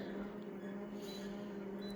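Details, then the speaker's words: Konica Minolta copier just powered on: a steady low mechanical drone with a faint high squeak creeping in near the end. Abnormal startup noise, which often happens on power-on; cause unknown. "some machines making a horrible mechanical noise but I just turned it on which it happens a lot but that's not an excuse for Konica Minolta"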